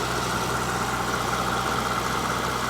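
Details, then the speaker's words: Mercedes SL600 twin-turbo V12 (about 500 hp) idling, hood open under plastic engine cover, ABC fluid full: very quiet, smooth, even hum with no knocks or ticks; healthy idle. "it's quiet I'll give it that it's super quiet under here"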